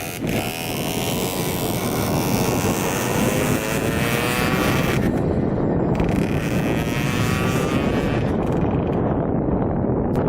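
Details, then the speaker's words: 2000 Cobra 50cc racing mini two-stroke dirt bike passing on a road flyby after top-end repairs, carb cleaning and new throttle cable: high buzz rising then dropping in pitch, revving cleanly and pulling strong; healthy under load. "alright that was sweet that was awesome it hauls pretty good this thing is crazy oh my gosh I mean I'm Way too big for it but that thing takes off"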